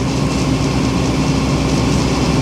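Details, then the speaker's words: Powerscreen Premiertrak 400X jaw crusher, unused for months, running during inspection: steady deep rumble with constant engine drone, no banging or knocks; jaw and flywheel running smoothly. "Right, so there's no banging whatsoever. And if I walk away from this, you don't really know that the jaw's running there, do you?"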